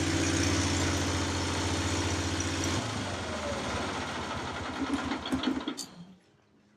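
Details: Onan generator in an MC9 bus RV conversion, around 55 degrees out: steady, even drone for a few seconds, then winds down and stops; running properly.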